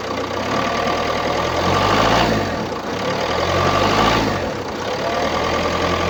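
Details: 2017 Opel Combo X12 1.6 diesel A16FDH, 105 PS, 331,104 km, idling: slow swelling rise and fall about every two seconds with uneven labouring note; noise attributed to a clogged diesel particulate filter (DPF).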